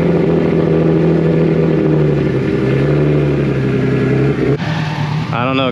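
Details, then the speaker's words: Nissan Z on test drive, pulling hard under load: rough puffy chuff in the exhaust note; still leaking, heard more at idle; owner hopes it's not a cracked header. "I mean it sounds a tiny bit better but like when it was idling I could definitely hear it it's leaking still"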